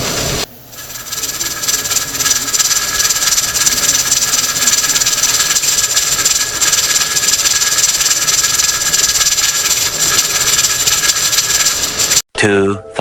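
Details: All American pressure canner, used about 15 years without issue, at temperature: loud continuous high hiss with faint rattling as steam escapes around the lid seam.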